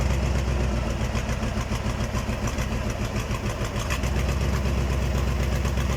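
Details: KAMAZ diesel engine's first start after a major overhaul: even idle with firm, regular firing pulses and no knocks or rattles; the engine sounds healthy.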